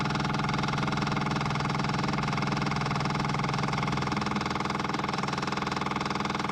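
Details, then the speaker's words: Caterpillar 259D skid steer, key on with the engine off, after changing both fuel filters including the inline filter. A steady electric hum with an even pulse about 3.5 times a second: the fuel priming pump is filling the filters normally. "Let me know what you think about that. I'm too nervous to try it. We'll turn the key on, let it fill up with fuel."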